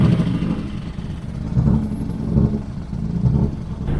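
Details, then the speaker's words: BMW E36 driving home after a spinning event: uneven idle stumbling about every second with lopsided low thumps instead of a steady hum; rough idle, misfiring badly, cause unknown. "God, doesn't sound so good. Sounds bad. Not only idle and missing like crazy."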